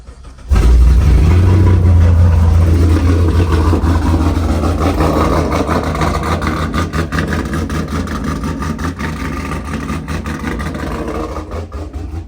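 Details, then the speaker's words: Pontiac G8 V8 first start after engine rebuild: catches quickly with deep rumble, settles to a smooth, even idle that slowly quietens; car started, exhaust alignment still to check. "All right, y'all. So as y'all can see, car started."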